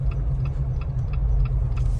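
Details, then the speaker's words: Built Jeep on 40-inch tires driving to the dealership: steady low drivetrain rumble with a sharp squeak about every third of a second tracking wheel speed, from the rear end; known bent right rear axle shaft. "do y'all hear that awesome squeaking from the rear end i have to do the early morning drop off so they don't see how embarrassing it is driving in such a noisy jeep"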